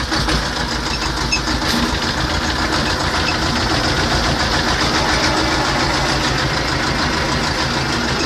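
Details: T-25 tractor diesel after repair: steady, even diesel clatter at idle with no misses or knocks; normal idle.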